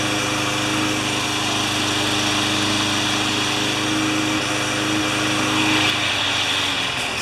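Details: Craftsman 20-inch side-discharge walk-behind mower, which had been starting and then stalling, during its final test after repair: the small single-cylinder engine holds a steady, even buzz with no misses, surging or knocking, running normally.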